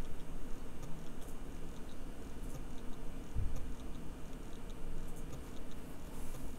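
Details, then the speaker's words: Bare hard drive buried a year underground in a freezer bag, microphone placed close, powering up: faint, irregular sharp clicks every second or so over a quiet hum, heads resetting, a modified click of death; failing drive. "so it appears to be doing a very modified Click Of Death so let me uh me power cycle the disc again"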